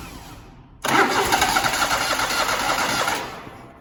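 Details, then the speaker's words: Zero-turn mower (Grasshopper or Toro) sitting about four months, likely with stale fuel in the carburettor, started with an external fuel spray into the intake: the starter spins, it catches, runs roughly about two seconds and dies. Fuel starvation from stale carburettor fuel. "It's almost March, so 4 months that this has probably been sitting, and it probably needs just a little bit of help getting it primed back up, and probably has a little bit of stale fuel in the carburetor."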